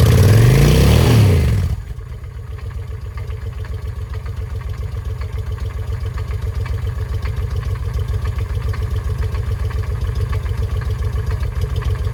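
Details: 2007 Honda Shadow V-twin after clutch replacement; had been knocking and seized while running during oil check: steady idle with rough, uneven clatter over the thump; still not right, cause unknown.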